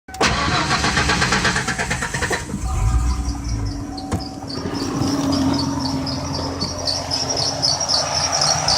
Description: Can't figure out which belt is squealing, any ideas?